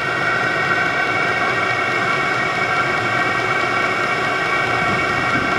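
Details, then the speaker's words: VEVOR 27,200 BTU diesel air heater turned down to setting 1, its lowest, during first startup: steady, even whoosh and fan hum with no surging or popping. Normal low-setting running. "you can't really see the display I'm playing with over here I just dropped it back down to one"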